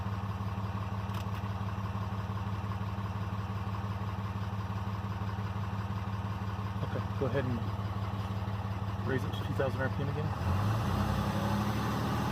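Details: 2012 RAM diesel, VGT turbo (HE351) rebuilt, held at about 2000 rpm with the exhaust brake on: steady even drone, no knocks or whine; healthy.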